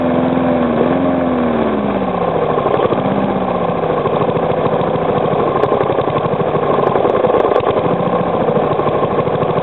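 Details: Three-year-old Briggs & Stratton lawnmower engine, fresh oil, first start after sitting 6-8 months over winter, slowed almost to stalling: pitch sags with a dull knock in each firing pulse, masked when revved; cause unknown, owner suspects improper combustion or a worn loose part.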